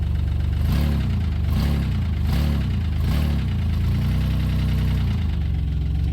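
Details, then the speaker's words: '95 Plymouth Voyager 3.0 V6, abused engine: rough low idle in gear with heavy thump a little over once a second, heavy blow-by seen; rod knock suspected, not confirmed. "I mean, it's gotta be rod knock. You can hear it when it's in gear like that."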